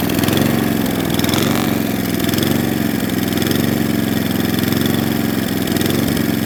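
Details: Atco Balmoral cylinder mower unrun for nine years: small engine hunts slowly up and down in speed; lean mixture, carburettor fuel screw then opened about three-quarters of a turn.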